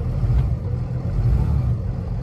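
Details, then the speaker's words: 2017 Freightliner M2 Champion Defender limo/shuttle bus with hydraulic brakes, diesel engine running: a deep, steady low rumble with an even beat and no knocks or rattles, a nice little purr. Normal, healthy diesel running. "Has a nice little purr to it."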